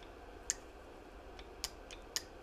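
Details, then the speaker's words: BMW E90 intake VANOS solenoid removed and bench-tested at 12 V before cleaning: three sharp, crisp clicks about a second apart as the piston moves; normal solenoid actuation. "so you can hear it it's drawing about one amp of current that was what the exhaust one is is drawing oops that came off and I can hear it moving I can see it moving"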